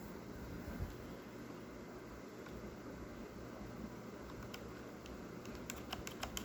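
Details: Corsair K65 keyboard with Cherry Red linear switches making sharp, crisp clicks on each keystroke, so loud it sounds like a blue switch; abnormal clicking from linear key switches.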